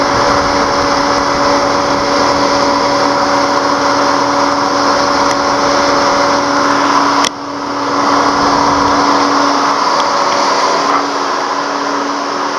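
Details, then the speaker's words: 2003 Mercedes C240: radiator cooling fan kicks straight into high speed at start-up, a loud steady turbine-like roar that never drops back; a bad ECM is suspected, with the mass airflow sensor to be checked first. "okay so the vehicle started go here the cooling fan you can hear it I mean this thing is just very loud"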